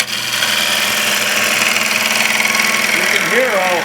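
A steady, dry, hissing scrape with a high singing edge as the gouge bites; a clean cut in very hard, dense wood.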